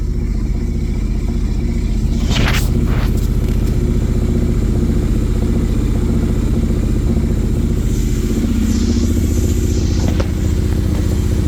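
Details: Motorcycle idling evenly at about two or three beats a second with no knocks or rattles, started after resoldering and reconnecting a faulty kickstand switch (neutral now working) and clearing the check engine light with a Euro 4 scanner; healthy idle.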